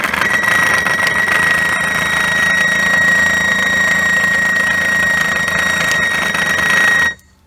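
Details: 2007 Toyota Crown Majesta (UZS186, 3UZ-FE) at 192,431 km: the air suspension compressor runs with a high whine and rough buzzing rattle, then cuts off; bushing replacement didn't help, and teardown found the motor bearing worn loose.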